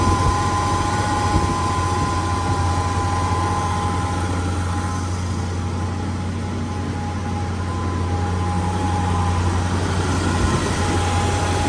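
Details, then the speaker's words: 71–72 350 V8 in a split-window Corvette coupe, first run in about 30 years, electric fuel pump, warming up, idling fast with idle screw all the way out; even, steady low rumble, no misses or knocks, clean exhaust with no smoke, normal idle. "Believe it or not, pretty clean. No smoke. After about 30 years of not running. Running very smooth for a motor that hasn't been started up for at least a quarter of a century."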